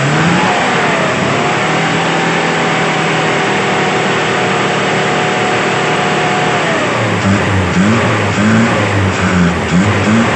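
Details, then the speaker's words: Daihatsu Zebra after carburetor tuned for economy, running from a 1-liter fuel bottle: throttle blips rise and fall cleanly, engine picks up and settles without stumbling; running healthy. "itu kawan saya gas-gas itu [Musik] kawan ini sambil saya gas-gas sambil saya kopkop"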